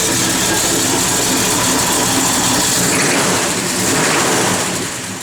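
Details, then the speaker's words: 1971 Chevrolet Chevelle SS, 383ci small block with Comp 270 cam, roller rockers, Holley dual-feed 4bbl, headers, Flowmaster dual exhaust, TH350 with 2800 stall: fires up into a loud, choppy, lopey idle with bright exhaust rasp; normal big-cam idle. "You can go ahead, Jordy, fire it up. Nice little comp cam"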